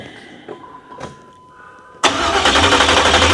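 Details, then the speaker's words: 1987 Chevrolet Monte Carlo SS with new 383 stroker, first start after fixing a fuel leak: loud, even starter cranking about four pulses a second with no firing; owner suspects an ignition connection at the distributor. "She ain't trying to start. No. Not at all."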